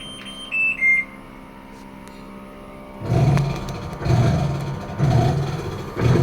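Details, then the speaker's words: American Home automatic washing machine, rusted frame from rain exposure, after drain motor repair: a few beeps, then a heavy churning thump surging about once a second with each agitator stroke during wash; noisy wash agitation, cause unclear. "Ayan meron pa siyang problema kapag sa wash pag sa wash maingay"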